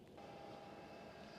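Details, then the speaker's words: Hcalory Toolbox portable diesel heater in ventilation mode (fan only, no combustion), fresh air into the car; soft, steady airy hum, faint constant tone, no rattles or scraping; normal ventilation fan. "For ventilation, press the gear for 2 seconds and you can hear the fan as it's"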